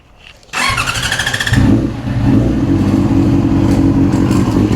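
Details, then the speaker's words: Yamaha R6 5EB with suspected gearbox fault (jumps out of second on road) and loose chain: starter churns, engine catches with loose clattery rattle on uneven idle that then fades; start-up rattle, engine and chain noise both noted. "It's gone now, with that clattery rattling noise."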